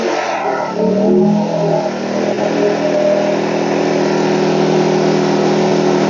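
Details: WEN 2000-watt inverter generator, about a year old, in for a warranty no-start; the fix was clearing a clogged spark arrestor, not a valve adjustment. After repair it catches, revs up, then settles into a steady, even hum under light load, running normally.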